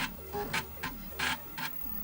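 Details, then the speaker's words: Amiga 600 floppy drive loading with FURIA accelerator build: rapid clicking head steps and short buzzy seeks, much louder than usual; noisy drive mechanism. "I said good drive is so loud"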